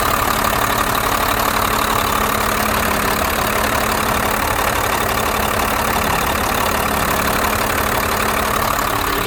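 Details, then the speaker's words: 1991 Blue Bird bus, 5.9 2-valve diesel, after replacing fuel lines and bleeding lift pump and injectors, lines tightened though a gasket still leaks: steady idle, even clatter about four beats a second, no misses or hunting; healthy. "Sounds good, you know. A little 5.9. I got all the lines tightened up."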